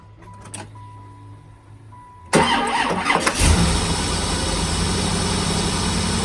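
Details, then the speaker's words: Freshly rebuilt Gen 2 LT1 in a 4th-gen F-body with a Holley 58 mm throttle body, after a throttle cable adjustment. It cranks, catches and holds a fast, steady idle that stays high; it initially idled around 2200 rpm. Vacuum leaks are still to be checked; the cause is unconfirmed. "Sounds like a success. I got the uh throttle response I wanted back. Still revving high, so I'll play with it."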